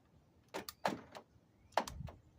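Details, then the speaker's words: 2004 Nissan Murano 3.5L SL driver's door: after the door lock actuator was replaced, the lock cycles with sharp, crisp, even paired clicks over a quiet background, so the actuator works properly. "You hear it clicking? I think it's working."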